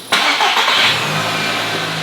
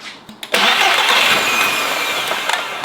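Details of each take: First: Audi RS3 2.5 L five-cylinder, starting under its own power after the correct battery was fitted and secured: starter engages, fires almost at once, flares briefly and settles to a smooth, even idle; a healthy start. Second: Audi RS3 2.5 L five-cylinder, jump-started with a diagnostic tool plugged in: starter cranks, engine catches and revs briefly, then dies within about a second; the undersized battery can't keep it running.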